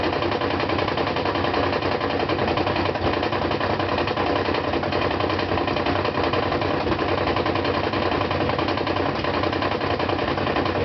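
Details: Brand-new GE washer (Sep 2012), spin cycle with two blankets: loud steady roar with heavy repeated knock about 1.5 per second from first load, absent when empty.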